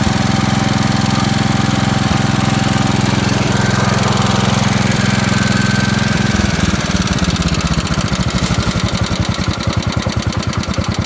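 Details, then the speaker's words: 1969 Gravely 432, Kohler K321 single-cylinder, first start after rebuild, sat about four years unused: fast steady idle thumping with a faint uneven putt now and then. Slight misfire; owner suspects the points need cleaning, unconfirmed. "all right so it's a success there's a little bit of a putt to it but I probably need to clean the points or something"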